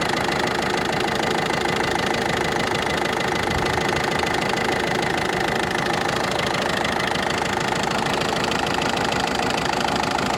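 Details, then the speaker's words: Ford Focus 2 1.6 diesel at idle: sharp metallic tick two to three per second over diesel clatter, now heard from the top of the engine; cause unconfirmed. "Ну уже по-моему этот звучок уже наверх перешёл ух да ну здесь отчётливо стока этот отчётливо цокает конкретно"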